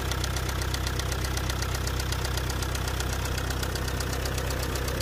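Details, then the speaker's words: Car engine with four injectors at idle: loud, even knocking about four times a second over a rough idle, a deep bottom-end, bearing-like knock. It began suddenly with shaking on acceleration and worsened to tapping with a rear smell. Injectors tested fine; mechanic suspects overspeeding; unconfirmed. "شعرت ضجيج في المحرك ورجه قويه عند التسارع، تجاهلت الموضوع لبعض كيلومترات ثم تفاقمت الصوت تقطقه ورائحه كريهه من الخلف"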